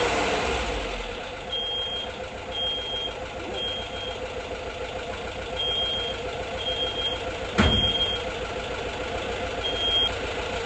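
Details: 1979 Volkswagen Bus air-cooled flat-four, after failing, first start: steady, even running, no knocks or misses, high beeping in background; not yet tuned, hydraulic lifters still pumping up; normal running.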